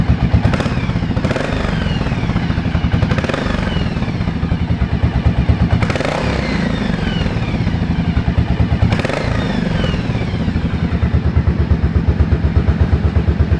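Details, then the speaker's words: 1983 Yamaha Virago 750 Midnight Special V-twin with rocker valvetrain, only 12,000 miles: a loping, uneven thump with a few louder clatters and no top-end ticking or valve noise. A very quiet, fresh engine at a normal idle. "So this is just a really fresh engine. This thing is so quiet."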